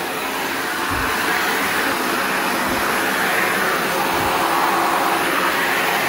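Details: Shark NV355 vacuum bought in 2018, about 3 years old, converted to handheld/hose mode; steady even rush of strong airflow with smooth motor hum, no rattles or pitch wobble; normal running.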